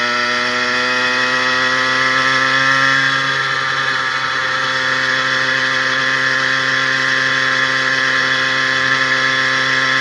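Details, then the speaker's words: 80cc two-stroke motorized bicycle with a new smaller needle-bearing wrist pin and new piston and rings, pulling hills at 26–28 mph on a heavy frame. Steady, even buzz at constant pitch under load, no knocking; healthy. "the smaller wrist pin bearing is working better than that large cage and you can hear the motor sounds really really well"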